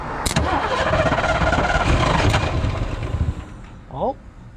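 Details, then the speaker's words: 1986 Fox Body Mustang 302 five-speed sitting 15+ years, starter jumped at the solenoid; churns over strongly like a new starter at a steady rhythm but never fires; missing spark plug wires, ignition or injector pulse suspected. "We're going to jump it. See if it'll crank over. spins over like it's got a brand new starter in it."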